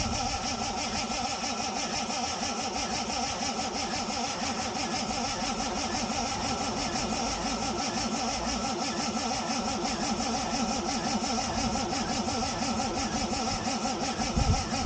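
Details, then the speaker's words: Ford Capri Mk3 Ghia 3.0 manual, barn find not run for about 20 years, fresh oil and new coil pack, heard from the back: starter cranks evenly but never fires; battery struggling, cranking speed dropping, low voltage suspected; crank no start. "didn't want to start, wasn't even offering. Here's the same thing from the back. You can hear the battery starting to struggle, and it's not cranking the engine so speed as it was."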